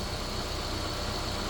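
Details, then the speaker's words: 2014 car brought in for a misfire with no codes and no check engine light; at this moment steady even idle, smooth low rumble, no stumble or skip; running fine. "Right now, you can observe it's running smooth."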